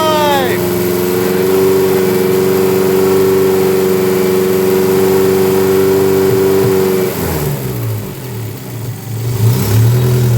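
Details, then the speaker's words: Dodge Daytona stock car with cobbled-together engine, first start on booster, engine light on: steady drone with an uneven lumpy pulse about four times a second, running rough on the stock computer instead of the tuned one. "Yeah, engine light's on. It's because we're running it on a stock computer. It's having a convulsion."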